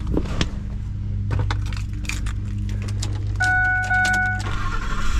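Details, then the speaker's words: 2004 Ford Expedition, 260,000 miles, just after the starter was replaced with a new O'Reilly Ultima unit: keys, a quick crank and it catches at once, settling into a steady idle under a door chime. Starting is healthy and the fault is fixed. "I think that was it. Yes. All right, we're gonna call this fixed."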